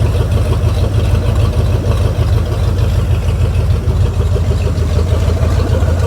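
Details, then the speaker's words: 1973 Mercury Cougar 351 Cleveland V8, newly revived with fresh gas and cleaned tank: deep, steady, even burble with no knocks or misses, running cleanly and crisp; carburetor still needs some adjustment. "so sounds good it's pretty crisp I think I'm gonna have to play with the carburetor a little bit"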